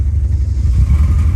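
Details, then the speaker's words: Honda Civic at very low, rough idle that sags unevenly and nearly stalls. The owner suspects a blown head gasket because coolant is leaking and water is blasting out of the exhaust. The cause is not confirmed. "so like i said earlier we got really really low idle speeds right now"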